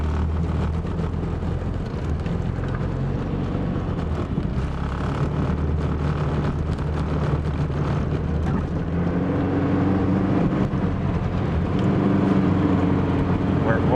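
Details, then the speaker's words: 1990 Chevrolet Cavalier, cold morning drive onto the Parkway, engine mounts worn, no check engine light: drone surges unevenly and bogs as throttle opens instead of climbing; engine runability hesitation under load, cause not confirmed. "it's obviously an engine run ability problem as soon as you give it too many too much go command it says nah I don't want to do that kind of mold"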